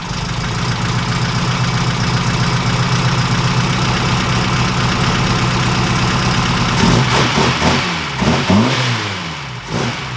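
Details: 1969 Ford Capri engine after adjusting valve clearances (cam followers): steady idle with light fast ticking on top and a couple of blips, quieter than before but one follower may still tap; valve tapping.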